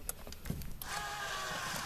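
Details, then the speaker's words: Coleman Hot Water On Demand unit with a 6 V battery pump and propane: a few clicks, then a steady small-motor whir as the pump starts. Running normally. "you can hear it clicking on here pump going we've uh we just turned on"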